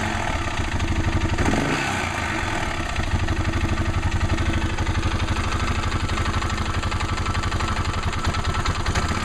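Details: Arctic Cat 650 H1 single-cylinder idling with clutch parts and belt removed; steady light rattle/knock tap about four a second over exhaust beat, seems much louder with clutch and cover back on; source unknown.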